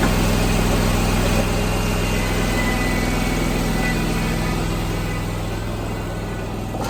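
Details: 27 hp Kawasaki zero-turn mower after its first cold start of the day: steady, even idle with a smooth low hum, slightly quieter as it warms, no misses or knocks. Normal cold start and idle.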